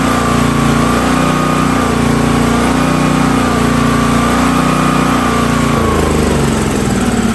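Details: Hotsy steam pressure washer with 16 hp gas engine, bought non-running: steady high-pitched drone with even pump whine under load; pump builds pressure though gauge doesn't work and outlet suspected plugged; engine runs normally.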